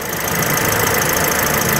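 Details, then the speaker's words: 2017 Toyota Vios G automatic, front-wheel drive, petrol engine at idle with hood open: smooth, even hum, no stumble, miss or knock; no oil seepage visible; engine sounds healthy and smooth, normal idle. "Kalau kita lihat nggak ada bekas rembesan pada bagian mesinnya, dan kalau kita dengar suara mesinnya juga nggak ada nada-nada pincang pada bagian mesinnya nih."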